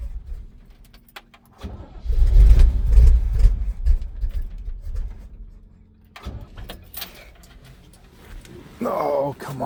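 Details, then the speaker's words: 1971 Chevrolet C20, 350 V8. Long cranking catches into a rough, low burst of firing that dies away, then weak cranking again. Debris shows in the fuel filter and the owner blames bad old gas for the no-start. "Well, the uh fuel filter is starting to get something in it, but you can tell [sighs] that's not good gas. I think we're going to have to find some fresh gas for this."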